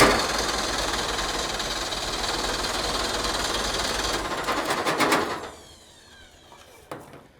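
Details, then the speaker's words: Ford Pinto wagon after timing adjustment (13 initial, 33 total, distributor turned clockwise to retard): starter spins the engine fast and evenly for about five seconds with no firing; cranks but won't start. "Spins over so fast. What? It spins over so fast."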